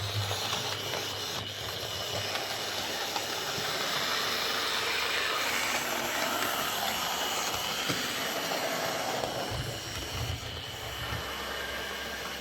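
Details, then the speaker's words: Old Hornby R857 BR Ivatt Class model locomotive after new motor bearing, lubrication, re-magnetising and wheel work; previously ran poorly, especially backwards: smooth, airy whir with light regular ticking from wheels and valve gear, no grinding; normal running. "okay so i think that's this old horn bi that class locomotive uh running okay now"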